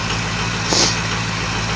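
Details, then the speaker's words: 2004 Ford 6.0 Power Stroke diesel cold-started without block heater, cold oil, idling before computer bumps it into high idle mode: low steady even rattle with one brief click; normal cold idle. "And uh you get that hooked up and computer normally waits a little bit and once it uh knows the oil's circulating good and everything cuz that oil is awful cold's awful cold then you'll hear it uh bump up into high idle mode."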